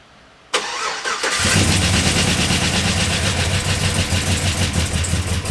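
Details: Chevrolet Silverado on its first start after a new crate V8 engine install. A short crank fires quickly into a loud, deep, even V8 burble that settles to a steady idle with no misses or knocks; healthy.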